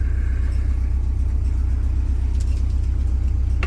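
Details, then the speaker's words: Boat's diesel heater started from cold (about 11 degrees inside) to warm the boat: steady low drone with an even rapid pulse, no knocks or rattles; fuel and filter checked, no leaks; running smoothly. "And I'm going to run it to warm the boat up, warm my feet up while I get changed."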